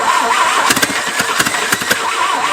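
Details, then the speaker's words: Abandoned 1950s-60s Willys Jeep truck, bumped with the starter wire while fuel is poured in by hand: a few sharp, uneven pops as the engine briefly fires to life; starter may be getting warm. "But damn, it can run. Yeah. Pippity pop to life."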